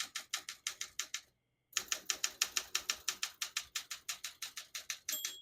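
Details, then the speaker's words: 1969 Olympia SM9 portable typewriter, West German, margins set at 0 and about 75: crisp, even keystrokes about three a second, a pause, more typing, then a clear margin bell ring at the line's end; working normally. "you hear the bell, you're at the end of the margin."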